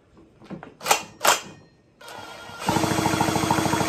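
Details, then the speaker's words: McCulloch Mini Mac chainsaw after setting the ignition points: rapid, even, strong snapping of spark while cranking, a healthy ignition spark worth checking before reassembly. "yeah lots of spark you might not have been able to see that something you want to check before you put it all back together"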